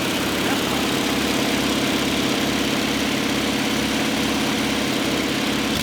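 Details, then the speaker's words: 1966 Ford Mustang barn find that sat a long time, after the bad carburetor was replaced with a good used one, with idle, choke and fuel mixture being adjusted: a steady, even, smooth idle with no knocks or misses. It sounds healthy. "i'm poking it on so our old carburetor was bad yeah new one's good and we're adjusting the basically the idle choke i don't choke so it's not revving up so much"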